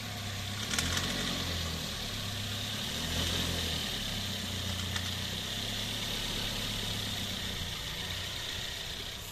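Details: 2007 Toyota Yaris 1.3 petrol pulling off in low gear under load: steady high-pitched hiss-like whine over low rumble, normal when revved stationary; diagnosed as worn slipping serpentine (aux) belt, cheap easy fix.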